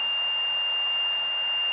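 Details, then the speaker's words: Stall warning horn in a light aircraft during practice stalls at about 5000 feet, pitch raised until the wing stalls and buffets: steady high-pitched tone over cabin noise. "sense and you could hear that stall warning horn that's that's not a big deal easy yeah cool"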